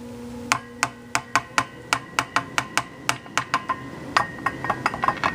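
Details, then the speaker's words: Pre-1934 Emerson Model 23 radio under repair, after blown voltage-doubler capacitors: sharp ringing pings about four per second with metallic decay as tubes are tapped; the 42 tube seems microphonic (6C6 first suspected), cause not confirmed. "Sounds like I'm getting some microphonics there. Oh, look at there. That's the 42 tube."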